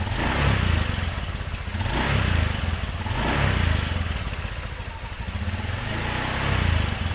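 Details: 2017 Honda Beat ESP scooter, after repair of a rough noise from the rear wheel and final drive area: engine pulses steadily with gentle rises and falls in revs, no grinding or clatter from the drive; normal running.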